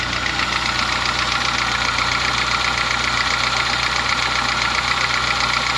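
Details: Honda Fit gasoline engine at idle: constant fairly regular knocking about four beats per second over the hum, diesel-like; lessens somewhat when warm; car at workshop for repair, cause not yet stated.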